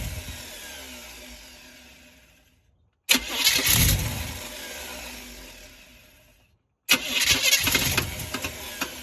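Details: Small-block Chevy engine (squarebody truck) at start-up: cranks and catches twice with an uneven rattly knock over the start-up roar; knocking on cold start, cause not clear.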